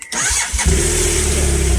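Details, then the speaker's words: BMW GSF 650 (model number, not 650cc) cranking sluggishly and hesitantly for about half a second before catching and idling; owner hopes it is a lazy battery, not a lazy starter motor, and is replacing the battery. "but we've got a bit of a lazy battery. Well, we hope it's a lazy battery. Hopefully it's not a lazy starter motor."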